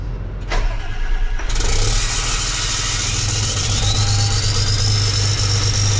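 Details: Freshly rebuilt John Deere 6068 PowerTech diesel from a 6170R tractor, started while oil pressure is watched on live data: short crank, then it catches and settles into a deep even idle with a steady hiss; healthy start.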